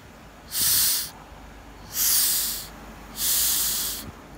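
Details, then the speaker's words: Mazda 6 2.2 Skyactiv diesel down on power at low rpm: air blown through the exhaust pressure sensor pipe gives three sharp half-second hisses, escaping where the sensor stem has broken off and is stuck in the pipe; owner suspects this affects the turbo and boost. "so i'm going to blow on the pipe here and you'll hear where the air is getting out here it's broke the stem is broken off and stuck in the pipe"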